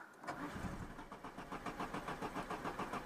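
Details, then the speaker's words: Citroën BX 16 TZS, barn-find, warm engine: brief crank, then catches into a lumpy, pulsing run about three beats a second; when hot it only starts with throttle, as suspected. "ouais à chaud faut accélérer c'est bien ce qui me semblait mécaniquement"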